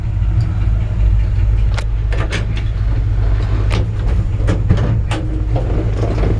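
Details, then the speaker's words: 1966 Chevrolet C-10 long bed, likely crate 350 small-block (block 3970010), three-on-the-tree manual, just started and still cold, driving; deep steady V8 rumble with a few body knocks, possible tiny exhaust leak and unexplained thump; normal engine running. "Got a good sounding little engine. You know, a typical 350 sound. And I actually just cranked it up, so she's still cold."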